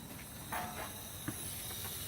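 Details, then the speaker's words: 2006 Freightliner M2 with C7 engine turned off: faint steady high hiss of air leaking out the bottom of the Bendix compressor governor (regulator); system won't reach 50 psi, governor being replaced. "you guys hear that hissing yeah you guys can hear it that's the regular leaking out the bottom"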